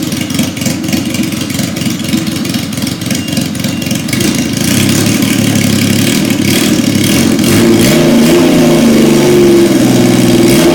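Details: 1977 Yamaha XS750, first start in 30 years, rebuilt carbs, velocity stacks, new oil, filter, plugs, resistors and throttle cable, auxiliary fuel tank: catches, settles into a fairly steady idle, then holds higher revs; sounds healthy.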